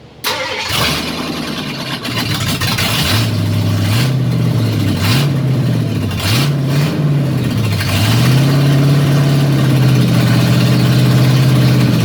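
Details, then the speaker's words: 1953 Ford F100 V8 starting and settling into a rough idle with a loud ticking puff. An exhaust leak between the headers and the block, likely because only 2 bolts hold the headers. "Alright, it was idling, but one of the problems that I had was that a lot of the exhaust smoke was leaking out of between the headers and the block, probably because I only have 2 bolts holding on the headers."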